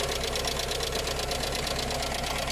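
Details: Skoda Fabia with Skoda engine (not VW-derived), at idle: fast, even ticking over a steady idle; valve train or lifter chatter, owner suspects an oil pressure issue though the engine runs reasonably.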